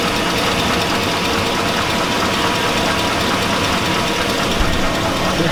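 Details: 2002 Chevy Avalanche 5.3L V8. A steady idle has a hard metallic clank riding through it, a deep bottom-end knock. The owner says it sounds like rod knock.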